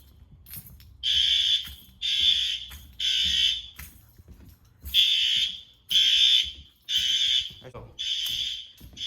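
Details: Fire alarm test at pull stations in an old 1948 school: loud high-pitched alarm tone pulsing about once a second with a steady on-off cadence throughout; alarm sounding normally.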